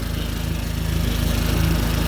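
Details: 2004 Dodge SRT-4 idling after a crank-no-start was fixed with an auxiliary battery-to-starter power wire past corroded wiring, check engine light on; even, steady idle with regular firing and no misses, stumbles or starter whine: normal idle.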